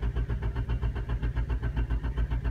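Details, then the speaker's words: Honda car that just died after running; a torn vacuum hose had been suspected earlier. Slow, heavy, even cranking at about five turns a second that never catches, possibly from over-cranking. The cause of the no-start is unclear. "sounds like it's turning on what was that it's when you overcrank"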